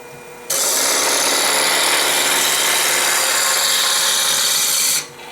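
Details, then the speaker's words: Wood lathe roughing a honey dipper blank with a three-quarter roughing gouge: steady hissing with an uneven knock about three times a second, because the blank is not yet round. "hear that knocking that means that this here isn't quite round yet you can still hear it"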